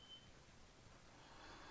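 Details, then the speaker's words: Hardwired smoke alarm during a Generac transfer-panel test, after its breaker was turned off along with other loads: one short high chirp, then faint room noise. It is beeping from loss of mains power. "oh that's the smoke alarms I better put those back on because they're beeping"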